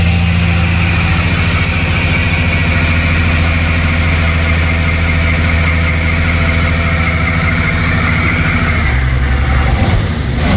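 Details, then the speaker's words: 1978 Dodge Aspen 225 slant six Super 6, revived after eight years sitting, now firing on all six cylinders: smooth even idle, steady low drone, no skips or lumps; normal idle. "That ain't too bad for a 225 slant Super 6."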